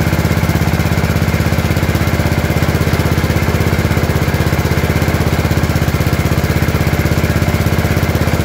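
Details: Gravely 814 tractor that sat outside for years, restarted just after an oil change: steady, even single-cylinder thump at a fast idle with no misses or knocks. Running normally.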